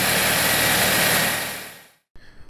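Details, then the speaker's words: 2007 Saab 9-3 2.0T with intermittent rough running, fuel smell, smoking and injectors staying on (codes P1682, P0201-P0204), on a key cycle where the fault is absent: catches straight away and holds an even, steady idle, no stumble or misfire. "Start it up, Tammy. Now it's fine."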